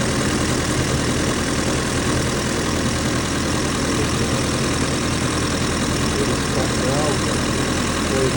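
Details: Austin 7, not started since about 2007 and seized, now freed up and fired with fresh petrol and water: steady, even low idle with a smooth unbroken beat and no knocks or misses; a healthy idle.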